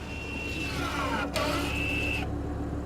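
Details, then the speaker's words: 2012 Audi A6 sport edition rear electronic parking brake caliper closing via scan tool after pad change: steady high electric whine for about two seconds, one dip, clean cutoff; normal motor operation. "can hear the caliper going back in, tighten it up, and we're all done."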